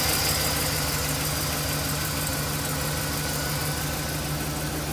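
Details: 2009 Chevy 2500HD 6.0L V8 plow truck idling after a new driver-side exhaust manifold, gasket and broken bolt repair for an exhaust leak: smooth, steady low rumble with no ticking or exhaust puffing.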